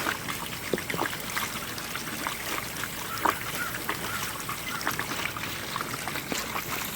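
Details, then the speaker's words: Costway mini washing machine (model EP21684), used, draining after a 3-minute rinse cycle: steady trickle and splash of water with scattered drips, no pump strain or gurgling; draining normally. "And then we're going to drain that. The water's draining, as you can hear."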